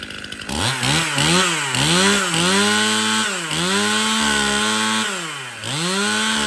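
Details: Stihl MS 271 Farm Boss 50cc chainsaw after service (cleanup, new filters, new bar and chain, needle bearing and drum sprocket replaced): crisp two-stroke buzz snapping cleanly up and down with each throttle blip and settling smoothly; starts, runs and oils well.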